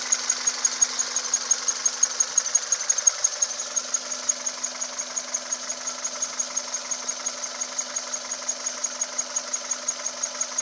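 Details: 2010 Kia Cerato engine: a thin, steady high-pitched whine over a quiet idle with a faint tick about three times a second; the cause is not identified.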